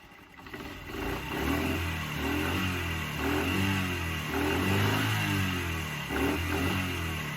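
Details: Small motorcycle after old fuel was replaced with new fuel: earlier it stalled when revved because it was flooding, now the single-cylinder putter holds a steady, even beat with light revs, no stumbling; running properly.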